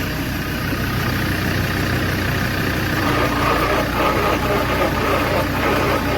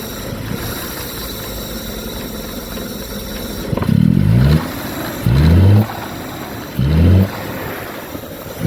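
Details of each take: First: 1969 Daimler Sovereign Series 1 (Jaguar XJ6), not started in 18 years, cranking briskly and evenly with no binding once power from a running jeep is added to the tiny battery on the stiff engine. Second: 1969 Jaguar XJ6 Daimler Sovereign Series 1 petrol six, abandoned 18 years: rough idle with constant thin hiss, blipped three times; intake vacuum leak.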